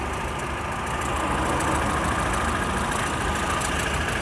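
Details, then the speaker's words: Hyundai Getz SX idling with a thin, steady squeal from the slipping alternator belt; the noise goes away when revved. Seller plans to replace the belt. "dây cu loa của máy phát đang bị kêu đây các bạn này."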